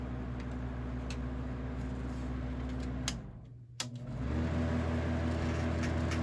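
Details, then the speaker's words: Westinghouse Riviera floor fan during servicing, reassembled with parts not screwed in: steady low hum with a faint tonal drone that cuts out briefly and returns; earlier rattle possibly from the fan being upside down, remaining noise unexplained. "there's a chance that the reason the fan was rattling because it was upside down. Of course, now it's going to rattle a bit because these things aren't screwed in."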